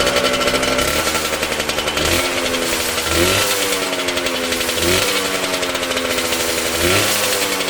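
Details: Homemade bike, Yamaha 125cc two-stroke (DT or RD YPVS) in old Tunturi frame, cold on choke: revving rising and falling about every second with a harsh rasping grind; grinding when clutch pulled, cause unconfirmed.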